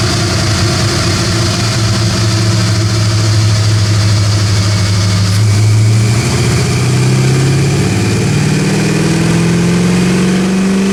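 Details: 1979 AMC Spirit AMX, budget-rebuilt 304 V8 with Brawler carb and T5 five-speed, full-throttle dyno pull with air cleaner removed: deep, even V8 roar sweeping up smoothly, no misses or knocks; about 210 hp, 269 lb-ft; normal.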